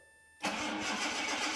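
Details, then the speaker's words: 1984 Jaguar XJ6 Series III after head gasket replacement and cylinder head reinstalled: quiet, then catches at once and settles to an even, steady run with no stumble; no misfires, exhaust leak from modified downpipe noted. "so there you have it engine runs and starts it runs pretty good actually we don't have any misfires"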